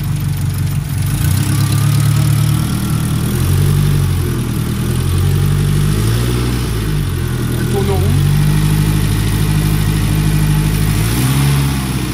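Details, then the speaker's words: Restored Renault R5 Alpine Turbo petrol engine with rebuilt carburettor, restarted, accelerator and choke cables not yet fitted; deep steady idle with mild rise and fall, runs round though owner unsure it's right; normal idle. "normalement il démarre voilà il tourne rond mais appiori c'est pas forcément bon"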